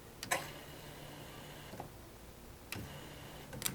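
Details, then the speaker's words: Turbo Honda Civic drag car with a stock-internal B18C1 engine, electric fuel pump hardwired to the battery through an inline fuse: touching the negative battery cable gives a sharp click, then a faint steady whir of about a second, twice; normal priming. "this is an inline fuse uh hardwired to my battery and it goes straight to the fuel pump so if I just take this negative battery cable over here and I stick it to this uh negative terminal you'll hear the pump Prime"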